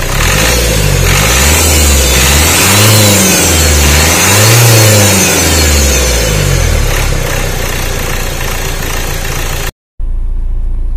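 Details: Renault Duster engine misfiring with check engine light on; revs rise and fall in waves over an uneven stumbling beat, about four pulses a second. Clearing DTCs fixes it only sometimes.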